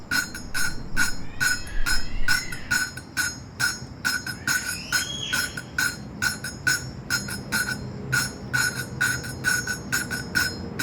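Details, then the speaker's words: Modenas Kriss 110 motorcycle, new cylinder head replacing one with worn valve guides: valve being lapped with grinding paste, spun and tapped, giving sharp gritty taps about twice a second; the coarse sound should turn smooth once the valve seats. Not yet seated. "So sekarang ni yang kau orang dengar ialah bunyi macam kasar. Kita akan tunggu daripada kasar kepada bunyi halus. Dia halus tu kira dah okeylah."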